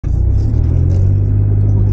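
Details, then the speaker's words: Suzuki Kei Works 4WD: deep, steady droning rumble (gogogo) at low revs and low speed, under 10 km/h, when turning with large steering lock left or right; owner suspects a failing viscous coupling, common on Suzuki 4WDs. "低回転の時低速の時か10キロ以内の時に右とか左とか凄い舵角多く曲がるとなんか音がするねぇ"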